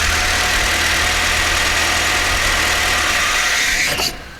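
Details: Volvo P1800 engine, rebuilt by the workshop some years ago, fired up in the workshop on an auxiliary fuel can, set up for idle only: steady, even idle with no knocks or misses for about four seconds, then a clean shutdown; healthy running.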